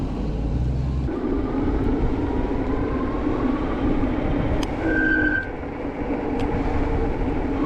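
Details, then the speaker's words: HyperScrambler 2 motorcycle after applying anti-squeal paste: half-second high squeal while braking over road rumble; paste helped the rear brake but the front disc still squeals, and the rear later starts squealing again. "it worked on the back but not the front so I don't know what to say it worked or not"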